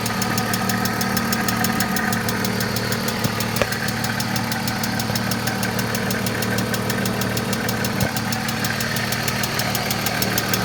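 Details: 1995 BMW E36 M3 S50 inline-six idling with fast, light ticking keeping pace with engine, loudest up top; valvetrain tick, possibly lifters.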